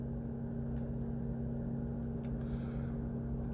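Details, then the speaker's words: Mercedes-Benz W203 C220 CDI, non-running, DTC P2364: quiet steady hum as radiator fan keeps running at full speed with ignition off; ECM suspected faulty or needing reprogramming, not confirmed. "As you can hear, the radiator fan is still operating."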